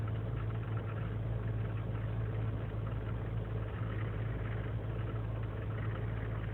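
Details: 2003 GMC Sierra Z71 5.3L V8 (non-flex fuel) idling unaided after sitting overnight in single-digit cold: loping, uneven low rumble, rpm rising to 1600; lean and misfire codes, owner suspects failing intake manifold gasket; runs fine once warm.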